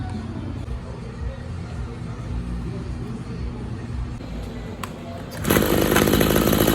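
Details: Maruyama string trimmer serviced for a no-start (bad ignition coil, broken leaking primer bulb): after a quiet start, the small two-stroke snaps in with a busy, even high buzz and holds steady, running fine.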